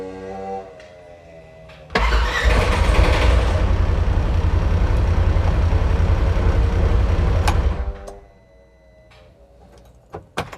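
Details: 2016 Polaris Ranger 900 XP, intermittent crank-no-start when cold, about 12 V battery: starter churns steadily for about six seconds, engine never catches, then silence; suspected throttle body, plugs or stale fuel, not confirmed.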